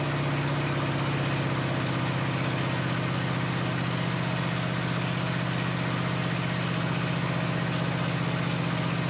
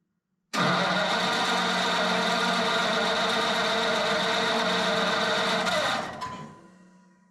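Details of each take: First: Flathead Ford 8BA V8 from an F1 pickup, first start after 12V conversion with new points, condenser, cap, rotor and coils, carburetor not rebuilt: steady, even low rumble with a smooth regular beat, no knocks or misses; normal idle. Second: Flathead Ford 8BA V8 from an F1 pickup, converted to 12V with new points, condenser, cap, rotor and coils, starter button just replaced: about five seconds of steady cranking that never catches. The owner plans a direct fuel line to the tank.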